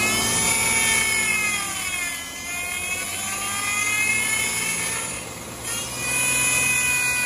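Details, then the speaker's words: Power steering pump right after topping up low fluid, revs raised so the faster-turning pump pushes air out of the lines; a high, wavering whine rising and falling with engine speed from aerated fluid. "raising the RPMs makes the pump turn faster so it pushes all or hopefully will push all the air out of the lines"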